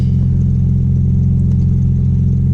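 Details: Audi B5 S4 just after new 3 bar MAP sensor and tune flash, engine still cold, fuel trims still adapting. Smooth, steady low idle with an even beat and no misses or knocks; normal cold idle.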